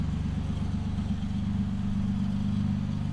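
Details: Used 7-seat family car idling with a racing exhaust, water still dripping from the pipe: deep, steady idle with even exhaust pulses through a loud free-flowing pipe; engine running smoothly and normally.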